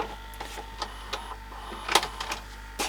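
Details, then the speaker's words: Panasonic NV-SJ200A late-1990s VHS VCR with Z mechanism, switched off; light irregular clicks and soft motor whirr about once a second as the tape mechanism winds down before standby; normal power-down mechanism run. "I'll just shut that off so it's not making so much noise. Although it'll probably make a bit of noise for a minute until"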